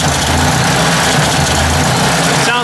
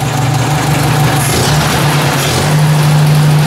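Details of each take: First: Ford 800 tractor after oil fill, carburetor icing up: low engine thrum loses its even beat and stumbles; owner thinks the carburetor needs cleaning and it may run better gravity-fed; rough running. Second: Ford 800 tractor, slightly warmed, idle air screw barely open: low, slow, even idle with a steady beat and no misses; idle turned right down, running smoothly.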